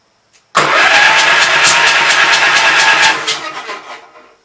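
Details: Gravely Pro 12 tractor, remote air cleaner left open (owner suspects water got in): quick light cranking about three seconds, spins faster with no compression strokes, no firing, coasts down; stuck intake valve.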